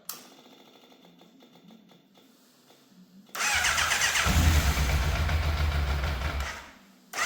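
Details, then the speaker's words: Fire-damaged Yamaha FZ750 after starting with the choke confirmed fully off. Uneven idle that hunts and nearly cuts out: unstable idle. Carb problems suspected despite cleaning. "I can't seem to find quite the right balance for the idle, and obviously it sounds, I don't know, it doesn't sound as smooth as it should."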